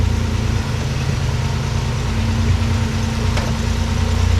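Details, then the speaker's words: 1994 Toyota 4Runner 3VZ V6 first run after major engine repair, run briefly without coolant. It has a steady, quiet, even idle with no knocks or misses. "but overall it's uh it's actually pretty quiet do what everything it's supposed to do"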